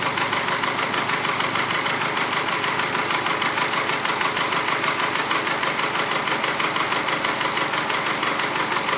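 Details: Freshly rebuilt engine with forged pistons, at operating temperature: a loud, steady knock about three times a second over idle that does not fade when warm; piston slap is suspected but not confirmed.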